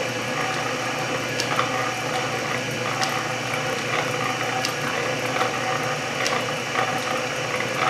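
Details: Refurbished Canedy-Otto drill press in back gear, first and slowest step-pulley speed, about 60 rpm, loose belt: slow, even gear whir with light regular ticking, no grinding or clunks; normal running.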